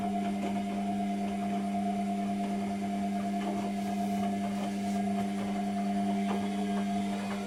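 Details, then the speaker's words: Constant low electric hum with steady tone and no gurgle of water moving: washing machine drain pump runs but won't drain; repairer suspects the pump isn't priming properly. "it does appear that the um the pump isn't priming properly"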